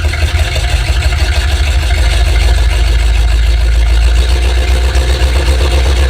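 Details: Tractor 7600 diesel at cold warm-up idle, deep heavy rumble with an uneven, lumpy beat suggesting a cylinder not firing cleanly; coolant was found and owner suspects that cylinder is sending it all out the exhaust valve, unconfirmed.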